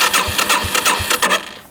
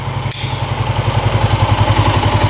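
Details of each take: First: 1987 Yamaha SRX 250, bought as non-running, clutch safety switch apparently disconnected; starter spins the engine in an even churning rhythm, about three pulses a second, with no firing at all; cranks but will not fire. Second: 1987 Yamaha SRX 250 single-cylinder, carbs not leaking, choke off: steady even thump at 1200 rpm idle, no knocking; normal idle.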